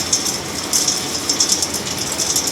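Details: Axeman-Anderson 130 coal stoker heating a 260-gallon wood boiler and about 4,900 sq ft house, one week into use: steady airy hiss with light, uneven ticks, no knocking or grinding; normal running.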